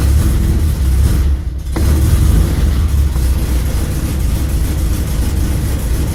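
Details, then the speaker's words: Carbureted bus engine just after a cold start at about 45°F, idling as low as it will to warm up and circulate oil: low, deep, steady rumble with even pulses and no knocking. Normal cold idle. "You want it to idle like it is now, idle as low as it will the time to warm up, and it needs the time for the oil to get moving around."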